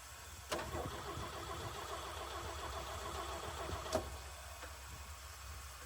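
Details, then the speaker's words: 1965 Chevy C50 grain truck abandoned for years, with a fuel pump installed; quiet cranking catches, then a faint, even idle holds. The engine starts normally. "It's fired."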